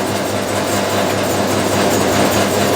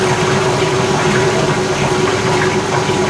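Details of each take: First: 1989 Maytag A512 Fabric-Matic washer during agitation: a steady hum with a fine buzzing rattle from the upper back panel, held on by only one screw, vibrating. It stops when the lid is held. Finding: loose panel vibration. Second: 1989 Maytag A512 Fabric-Matic washer, 32 years old, spinning and draining: a steady, even whir with water rushing through the pump and no knocking or grinding. The spin is impressively quiet and sounds healthy.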